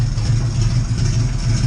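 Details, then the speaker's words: Oldsmobile Cutlass just after rebuilding its Edelbrock carburetor, before tuning: lumpy, low idle with an uneven beat, the engine stumbling and recovering instead of settling; rough running. "running i'm recycling a little rough right now i have a little trouble shooting it i'm doing everything that i've seen on the uh on youtube videos that i've watched and uh this is the best i can get it running right now"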